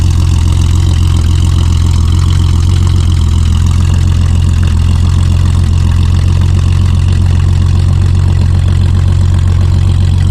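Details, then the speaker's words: Car not run for a while, fired right up and idling: steady deep idle with a loose, puffing edge to the beat; headers just stacked on, bolts loose or missing, so exhaust leaks at the loose headers. "I did find out today while working on this that the headers that are on it they didn't they didn't actually install the headers they just stack them on there the bolts are not even tight"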